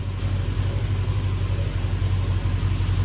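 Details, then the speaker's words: KRX steering rack after Class 1 Motorsports bushings, new boots and seal, and properly tightened tie rod: steady low idle rumble while the wheel is worked, no clunks or binding; steering tight and quiet. "oh that's all tightened back up see if there's any clunking I do not see any clunking no binding nothing but smooth operation"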